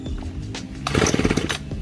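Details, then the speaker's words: Ryobi 4-cycle Expand-it trimmer being pull-started on full choke after priming: cord swishes, then brief uneven pops as it first catches, the cue to move to half choke. "see as soon as you hear that noise it starts to go a little bit that means you can put it a half choke put right there in the middle"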